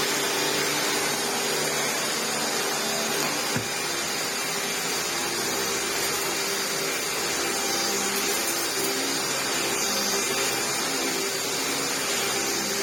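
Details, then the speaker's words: 1998 Hoover Turbopower 2 upright vacuum after motor replacement, with new-old-stock belt fitted: steady even motor roar with airy hiss, bag inflated, belt stays on, no slapping or squealing; normal running. "The bag, yeah, she's all inflated now, and the belt, yeah, didn't pop off."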